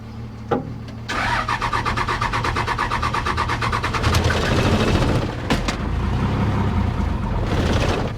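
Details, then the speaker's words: 2000 Dodge Ram 2500 with 5.9 Cummins diesel, 5-speed, after sitting three years: starter turns it over steadily and fairly quickly with a jump, but it never catches; apparently not getting fuel to the injectors, runs only on ether. "I'm gonna try it. It'll start. Sounds like it's not getting fuel."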